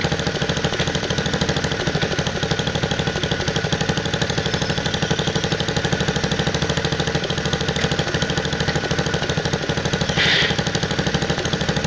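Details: 1969 Bolens 850 tractor, Wisconsin S8D 8.25HP single-cylinder, run after carburetor initial adjustment while tuning points: rough uneven clatter about three beats a second, like a hard knock; knocks badly at high RPM, idles poorly, smokes; cause not pinned down.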